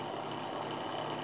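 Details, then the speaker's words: Electric sprayer tank pump motor (dinamo) running with weak spray, steady coarse drone with gritty uneven edge instead of a smooth hum; worn pump motor, to be dismantled and replaced. "nih semburannya lemah jadi Hai ini saya pastikan dinamonya dan suaranya pun kasar sekali seharusnya suara motornya enggak kayak begini"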